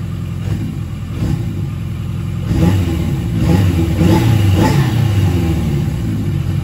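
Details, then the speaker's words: Yamaha XJ750 four-cylinder that previously wouldn't run, after Seafoam soaked in carbs and idle screw adjusted: picks up cleanly and holds an even, steady beat through blips, no misfire or stumble; running healthy. "seafoam for the wind sea foam heck yeah man that sounds great especially before it wasn't even running i started right up"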